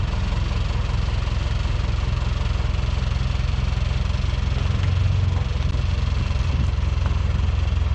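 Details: 1977 Yale forklift, starting and running again after repairs: steady, even low rumble at idle with a regular firing beat and no misses or knocks. Owner notes earlier occasional pre-ignition knock and dieseling and plans a timing check.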